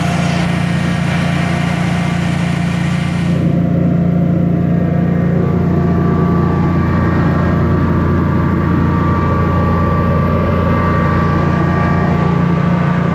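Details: Generac Guardian 16kW standby generator, refurbished after exploded battery, running on gas under close to 6,000 W heater load: steady even drone, constant hum, holds speed without dips or hunting; didn't even hesitate, healthy.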